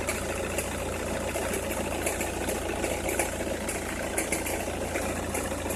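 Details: Opel Meriva, cold engine at idle: irregular light crackle and ticking over the steady hum, only when cold or at very low revs, stops once warm; noise localised to one side, cause unknown.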